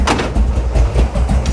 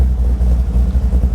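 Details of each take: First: Big block 540 V8 with a newly installed, untuned Edelbrock 850 CFM VRS 4150 carburetor, cold; deep, lumpy, uneven idle with irregular low thumps, barely holding on near stall at about 500 rpm or less; idle speed likely set too low. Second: Big-block 540 V8 with new Edelbrock VRS 4150 850 CFM carburetor, fully warm after idle mixture screws tuned by vacuum gauge and AFR: deep, low, steady even burble with no misses; normal idle.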